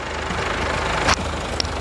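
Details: Chevrolet S10 with MWM Pitbull diesel, after turbo replacement and full service, microphone at the valve cover: steady idle, even light clatter, one brief click in the background; engine sounds healthy.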